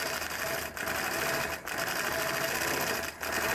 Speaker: The needle sounds like it needs to be changed. So it kind of sounds like it's poking through really hard.